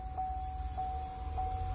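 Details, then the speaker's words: Chevrolet Camaro electric supercharger pre-spooled with engine running, about 8% duty: steady high-pitched hair-dryer whir over a low background hum, even and unchanging; electric supercharger running normally at low pre-spool. "so now if i go back and go to the spooling setting and pre-spool it you'll hear the supercharger actually turn on if you listen sounds a bit like a hair dryer right"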